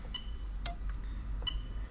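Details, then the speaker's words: Lexus LS400 1998-2000 1UZ-FE VVT-i standalone engine harness on the bench, fuel pump active test via scanner, no engine running: crisp, isolated clicks under a second apart; fuel pump relay switching properly. "hear the relay clicking there which is fantastic"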